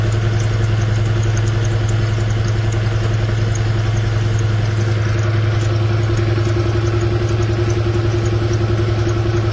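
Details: BMW engine at steady idle with an even pulsing about three or four a second over a low drone; an abnormal noise, cause unclear.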